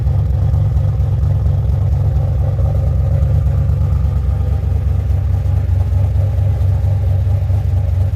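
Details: 2007 GXP with Sloppy Stage 3 cam, VATS and DOD deleted via HP Tuners, first start-up idle after retightening loose front rockers: deep choppy loping idle holding steady, no pops or ticks; loose-rocker popping fixed, healthy cammed idle.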